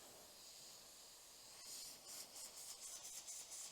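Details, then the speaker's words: PCP air rifle filling from an air bottle: a steady high-pitched air hiss at the fill probe connection, pulsing slightly, as air escapes past a probe O-ring with a small cut in it. O-ring leak. "it means something isn't quite connected, right? So I'll close that, open that up, and I'll inspect the O-rings on here."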